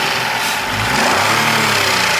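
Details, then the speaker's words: 2019 Renault Logan 1.0 12-valve three-cylinder with some hard starting: raspy revving with a faint clatter from the top of the cylinder head; camshaft end play knock. "esse carro faz um barulho bem diferente quer ver"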